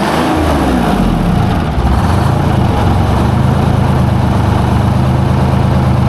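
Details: Junkyard 12-cylinder semi-truck diesel, previously missing due to low fuel pressure (empty filters), after new fuel filters were filled and the primary fuel line replaced. It now idles with a steady, even low rumble, running on all 12; normal.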